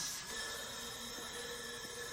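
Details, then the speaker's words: 2011 Chrysler Town and Country 3.6L Pentastar V6 on the bench, leak-down test with the cylinder at TDC: steady airy hiss heard from both exhaust and intake, none from the crankcase; air escaping past intake and exhaust valves. "I can hear it right out of the exhaust and out of the intake out of both at TDC"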